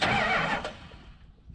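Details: Big block 440 Dodge truck neglected over a decade, after cleaning dirty electrical connectors that stopped cranking: short burst of starter spinning the engine over briskly, then fading; starter now turns the engine normally.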